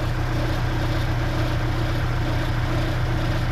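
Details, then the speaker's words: Dodge Neon after its OBX/Unorthodox Racing crank pulley came apart and was replaced with an AFX UDP; the belt may be a little tight and the center bolt looks offset. Smooth, even idle with no belt squeal; the belt rides fine and spins the alternator. Normal idle. "but the belt seems to be riding okay. It's not making any crazy sounds. It's spinning the alternator fine, so I'm gonna call this a success,"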